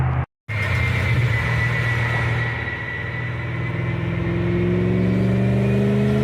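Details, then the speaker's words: BMW E31 840ci with M62 V8 after a manual swap and new 2.5-inch cat-equipped X-pipe exhaust, on a dyno. Deep, even roar with pitch climbing cleanly, no misses or knocks; normal full-throttle pull. "Man, that sounds good. Sounds really good."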